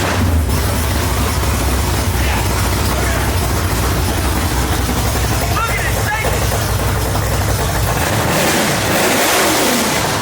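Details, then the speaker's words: 1965 Mustang coupe with a 331 stroker V8, timing freshly dialed in: deep, strong V8 rumble that fires and holds, then climbs cleanly with throttle; normal start and rev, engine runs healthy. "And since filming it, I've gotten the timing dialed so this thing fires up and runs awesome."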